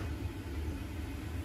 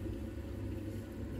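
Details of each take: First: Old Worcester 28 CDi boiler, no heating or hot water: steady low rumbling boil with crackles building as the boiler kettles because heat cannot escape; circulation issue, normally the pump not spinning. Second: Central heating pump, system at about 1 bar pressure: soft, steady low hum with even tone and no rattle or grinding; pump spinning smoothly.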